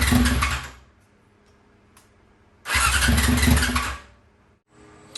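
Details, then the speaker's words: 2001 Yamaha YZF R6, first start attempt in three years after a carburetor rebuild and full jet change: two roughly one-second bursts of cranking and sputtering that fail to settle into idle. Finding: hard starting caused by bad, stale gas. "Okay, guys, so after cleaning the carb, I found out the problem too. It was bad gas. Bad freaking gas."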